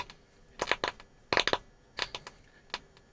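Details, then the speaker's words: Transistor radio bought as untested, first switch-on from a current-limited supply set near 200 mA: irregular sharp crackles and pops in bursts over quiet hiss, no station; shows power reaches past the switch, fault location still unknown. "now as you hear we have crackling noises and that's always a good start because it generally will mean that something is doing something"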